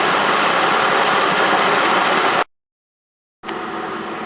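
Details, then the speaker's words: 1981 Toyota Corona RT132R, 18R-C engine, hot idle after a drive: steady rough whirring hiss from a worn water pump, with belts squealing faintly; timing chain quiet when hot, no knock. "Oh, that water pump sounds bad."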